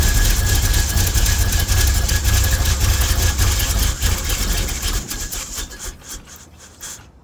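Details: Jeep after advancing the ignition timing, previously hard to crank: engine runs steadily with an even rumble before winding down; normal running.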